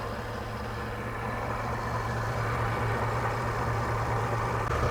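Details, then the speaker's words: 1999 Toyota Tacoma with random misfire and code P0305, idling; lumpy, stumbling beat over a low rumble and heavy shaking. A stethoscope shows the cylinder 5 fuel injector is not firing, though spark is present. Misfire from dead injector. "All right, guys, I can tell you from listening through this stethoscope, it is pretty clear to me this fuel injector is not firing."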